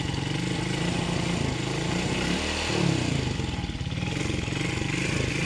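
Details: Rider J 115 FI motorcycle unused for 3 months and wouldn't start; battery was the only problem. Small single runs smoothly with an even, steady beat and one quick rev blip, no misfire or knocking: normal running.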